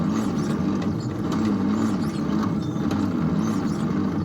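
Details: 1953 International L160 truck after sitting, choke on and gasoline poured in, battery thought dead: starter turns the engine slowly and evenly with a labored churn but it never catches; no-start, carburetor to be cleaned.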